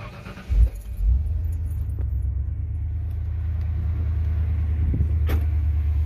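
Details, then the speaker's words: 1997 Ford Explorer 5.0 V8 on its first start after fitting a modified 94-95 Mustang SR Performance cold air intake with custom MAF bracket: catches at once, cold, into a low even rumble with no stumbles or odd noises; healthy start. "all right so yeah I'll probably let it warm up a little bit"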